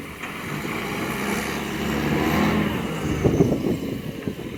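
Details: Diesel garbage truck rumbling close by with a rough, uneven puffing edge to its exhaust note, from an exhaust leak.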